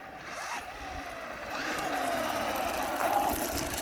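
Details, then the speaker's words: Traxxas Rustler 4x4 VXL RC car after installing the Traxxas 6780 center diff upgrade: light, mid-pitched gear whine rising and falling with speed under the running noise, a new sound but normal; healthy drivetrain. "does sound different hear that that sounds so you can hear the noise of the gears"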